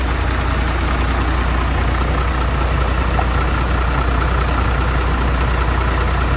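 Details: MAN TGM truck, D0836 LFL 63 diesel, after engine rebuild for smoking and misfiring, with bench-tested replacement injectors: deep, steady idle with even low beat, no misses or knocks across cylinders; normal idle.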